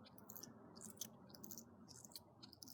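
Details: HPI Savage 25 factory front shock with the spring off, stroked by hand: soft squishy squeaks from trapped air. The shock needs bleeding.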